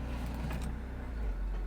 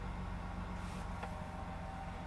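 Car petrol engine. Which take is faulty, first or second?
second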